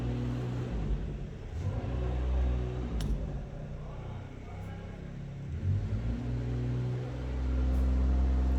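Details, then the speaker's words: 2012 Holden Commodore VE V6 idling and lightly revved, stumbling in a steady uneven rhythm of about four beats a second; misfire on one cylinder with code P0300 and a coil 2 circuit malfunction reported. "misfire detected coil signer 2 circuit malfunction"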